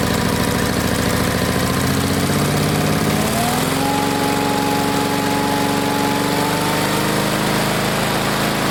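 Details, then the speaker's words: Onan engine after new points and condenser, started at half throttle, no arcing: engine speed rises smoothly then holds steady without misfires; carburetor still needs fine-tuning; normal running. "we'll have to fine-tune the carburetor a little bit but that's how you put the points condenser in on this here own it"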